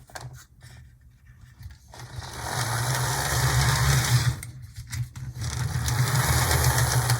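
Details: HO loco after reseating the truck's wire keeper plate: small motor hums evenly with a light rapid gear tick; runs smooth and healthy.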